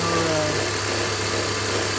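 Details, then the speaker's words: BMW X3 engine idling with a constant buzzing vibration over the engine note that goes away when revved. The water pump, likely original, has bearing play and the belt tensioner chatters; both are being replaced. "So this is the sound that it's making. It's like a vibration noise."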